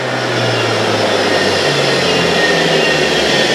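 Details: Universal motor on a trainer kit, in the direction-reversal experiment where it now turns anticlockwise. A loud, steady brush-motor roar with a slight low wavering and no grinding or knocking: normal running.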